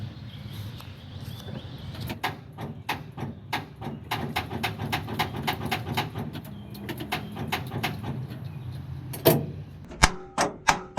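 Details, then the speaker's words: 1978 Ford F-700, key turned: solenoid triggers, but the starter only clunks and clicks in sharp bursts and does not crank; the bad starter is replaced. "We turn the key and it just goes clunk. So the solenoid is triggering. You can hear that."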